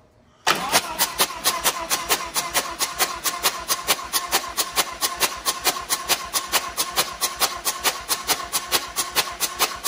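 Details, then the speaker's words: 2020 Harley-Davidson Road Glide Special with new 128-inch big bore kit, before first start: engine cranked with spark plugs removed to prime oil, fast even starter chatter about two beats a second with no compression load. "so what are you doing now just priming the oil yep yeah we're getting oil moving through the motor all right without letting her up that's right locomotive"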